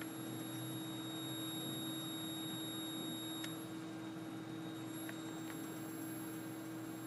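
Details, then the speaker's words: Lightdow LD-160 dimmable 160-LED video light at high brightness, heard close to the camera microphone: a steady high-pitched whine with a faint low hum, barely audible when turned down or held farther away. "I've noticed that whenever this is turned on the higher you go it kind of emits like this squeals"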